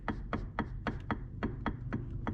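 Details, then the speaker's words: Polaris Sportsman 1000 Highlifter rear differential, the old unit turned by hand: a sharp clunk about four times a second at each tooth mesh. Worn ring and pinion faces, with no shims to adjust; mud was found inside, possibly from a clogged vent. "you can hear that choppiness i can move the ring in and out some and it takes away slightly but that little hit never goes away because of the the difference in the the pinion"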